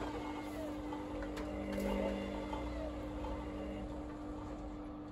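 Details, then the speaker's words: Indesit Moon washing machine with a retrofitted SXY3388 universal board on spin, drum already empty: low motor hum whose pitch steps up then sags, surging and fading, sluggish and unsteady. Cause unconfirmed. "It just says spin. And it's coming on and off, that arrow. It's hardly a spin, is it?"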